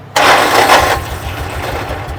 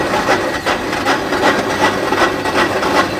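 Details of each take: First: Salvage-auction Kawasaki Mule side-by-side after spark plug cleaning, old gasoline suspected no longer flammable; catches straight away with a loud burst without choke, then settles within a second into a steady even idle: clean, healthy start. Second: Salvaged Kawasaki Mule side-by-side, choke partly pulled: steady cranking at about two to three turns a second with faint attempts to fire that never catch. Engine isn't seized and turns over; cranks but won't start, stale fuel suspected.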